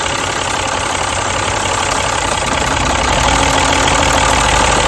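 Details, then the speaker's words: Turbocharged Mini after a new ignition coil was fitted: steady, even engine note with turbo audible, stumbling briefly when a coil is pulled as a test; every cylinder now fires and the misfire is fixed. "and now as you see this coil works perfectly and now this car is not misfiring and you can hear the turbo"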